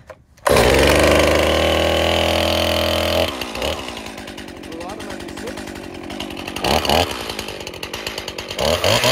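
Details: Stihl chainsaw, after the first fire on full choke, pulled again with the choke one position up: it fires and roars at full speed, then settles into a steady, even idle without sputtering; starts and runs fine, not flooded.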